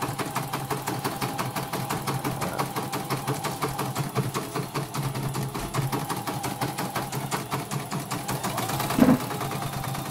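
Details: Embroidery machine, after service for a rough, grinding rotation noise, stitching a test with red thread: steady, even rhythm of about five clicks a second, running smoothly.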